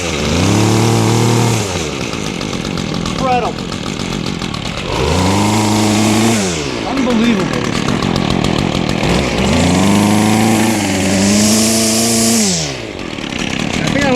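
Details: Weed eater FL 25, over 30 years old, carburetor never changed or cleaned, run on fresh TruFuel after sitting idle. It buzzes up and down through repeated throttle blips, revving cleanly and settling back each time, sounding healthy.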